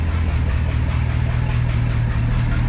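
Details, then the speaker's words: 1972 International 1110 pickup, IH 345 V8 with new Holley 2-barrel carb, glass pack exhaust full of holes. Steady deep even rumble with loud open exhaust note, no knocks or misses; normal idle. "it actually runs pretty darn good that's not the problem anymore"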